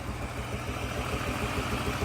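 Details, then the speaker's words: Z car after water pump, thermostat and radiator flush, started first try: steady low idle with uneven, stumbling pulses and slight shake, runs strong; owner suspects a miss needing a tune-up. "it's a little shaky you might need a tune-up or something it sounds like it's got a little bit of a Miss in there I can hear it but it runs pretty strong"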